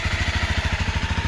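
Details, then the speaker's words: Used motorcycle at about 15,500 km, checked before purchase: steady, even idle thump about thirteen pulses a second with no knocks or rattles; engine runs healthy, normal idle. "Let's hear the engine. Let's see if there is a difference in the working order. There is a proper working order. Let's hear it from here. There's no trouble here."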